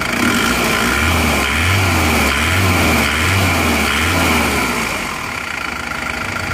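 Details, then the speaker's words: Isuzu Panther turbo diesel in a comparison of replaced versus reversed original liners: even, steady idle with a regular low throb and faint turbo hiss; sounds the same as the other engine, normal idle. "Sudah sama jadi suara mesinnya Turbo seperti ini"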